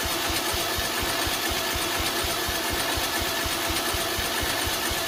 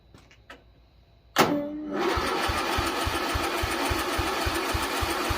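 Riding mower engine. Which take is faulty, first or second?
second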